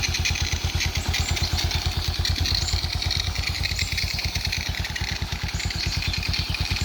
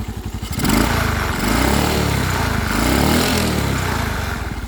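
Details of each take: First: Suzuki Smash Titan single-cylinder at warm idle after nearly 1 hour running, following rebuild with Shogun 0.75 oversize piston and new oil filter: a quick, even beat with no knocks or misses, smooth and healthy, though oil still drips. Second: Suzuki Smash Titan single-cylinder motorcycle with new Shogun 0.75 oversize piston, running without an air filter element (box only, cracked): revved and held, rough buzzing shake and rattle as revs climb; vibration at high revs, cause unclear.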